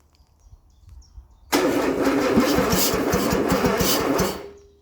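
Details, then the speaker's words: Armstrong Siddeley Star Sapphire special, unstarted for probably over 40 years, first spin on rudimentarily wired battery and starter solenoid with plugs still in: steady, fast, even cranking, turning over freely with no bind. Normal cranking. "Ooh. That spun over. That's good. We'll do that again. Yeah, probably better with plugs out."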